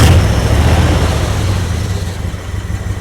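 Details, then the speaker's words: Mopar 318 V8 in a Coronet after a timing chain replacement, started in very cold weather: low rumble pulsing unevenly with a lumpy beat, beginning to settle toward a steadier idle; rough cold running that is smoothing out. "started to smooth out. Run a little better. Going to turn up the idle a little bit."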